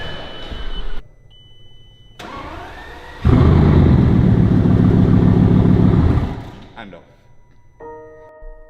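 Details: Bugatti with a new fuel pump control module installed after a module miscommunication fault (it ran with the module unplugged): brief crank, catches, runs about three seconds, then cuts out and dies.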